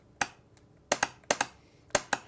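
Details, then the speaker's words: Curtis 1221C-7401 controller (120 V, 400 A) setup for NetGain Warp9 series DC motor, 12-volt contactor switched by key: several sharp dry clicks in quick pairs in a quiet room as contactor pulls in normally. "i'm just i'm just going to connect it here so you'll hear the contactor go"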